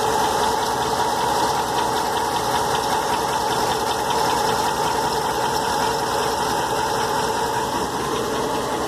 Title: 08 Ram 1500 engine knock